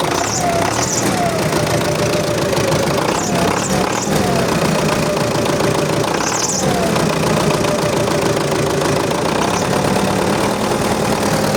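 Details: MTZ-82.1 diesel tractor idling right after a fuel injection pump refit, in hot +40 °C weather. A thin whistle rises and falls over an even idle; owner suspects oil has not yet reached the pump; slight smoke. Cause unconfirmed.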